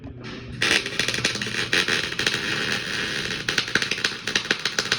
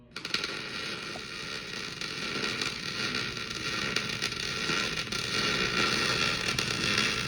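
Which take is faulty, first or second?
first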